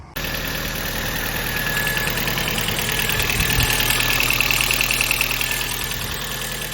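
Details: Audi A4 B5 2000 facelift 1.8 automatic, 300,000+ km, idling while warming up for an oil flush: fast, fairly even ticking, about three per second, over a steady idle; suspected cam chain tensioner oil starvation from a clogged pickup after an oil change.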